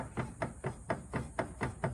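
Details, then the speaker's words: Porsche 930 Turbo with 4-speed 930 gearbox, clunk while steering; first suspected tie rods but now thought to be steering rack, with wheel play before rack engages; sharp regular knocks about four a second as wheel turns. "But as you steer the car, I thought it was the tie rods, and I thought those were bad. But what I'm hearing is more steering rack like."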